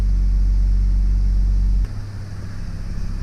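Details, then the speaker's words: BMW X3 F25 with N52N engine just after an oil change: smooth, steady low idle with no ticking; lifter clicking right after the change fades once they are coated with oil. "So until they get really coated with oil, because you just drained it all and did the oil change, it's gonna take a second, but then it'll smooth out and it'll quiet down. So it should sound like it does right now, which is perfect."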